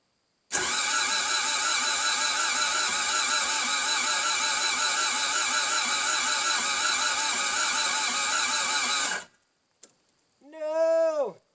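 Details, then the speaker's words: Toyota MR2 AW11, first start attempt with new fuel pump run via test wire: about nine seconds of even starter whirring that never catches; cranks but won't start, fuel dripping seen, timing belt suspected, not confirmed. "doesn't sound like it's trying to start guys all right let's see if we've got fuel sprang out anywhere first but if I'm being honest it sounds like it's probably not going to start"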